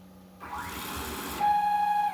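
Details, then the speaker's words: CNC router stepper driving a 1:1-pulley-coupled screw, jog speed raised to 5,000 in Mach3: whine rises with speed, turns harsh, buzzes on one pitch and drops away; motor stalls at too fast a jog. "Tá vendo? Aqui ela já trava voluntariamente."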